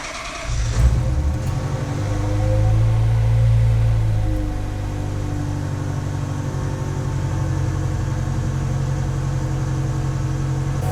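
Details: Ferrari F355 flat-plane V8 after a cooling-system hose replacement and vacuum coolant fill: first start catches quickly, flares up, then drops to a smooth, steady idle with no misfire or knock; healthy, warming up to check coolant level.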